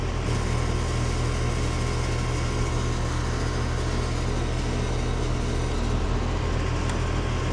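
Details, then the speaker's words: HVAC system that wasn't keeping up, pressures too close together: steady low motor hum that speeds up instead of slowly coasting to a stop after shutdown; motor shouldn't still be running, another problem found, cause unknown. "That thing's supposed to be slowly coming to a stop. So, I'm discovering another problem here."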